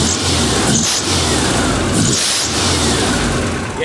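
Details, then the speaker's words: VW Beetle after a 75 amp alternator install, engine revving: a sharp high squeal rises with the revs as the loose fan belt slips; owner plans to tighten it or fit a smaller belt. "you heard it he's squealing all right that's not as bad as the v-belt though rebelt was squealing like you wouldn't believe"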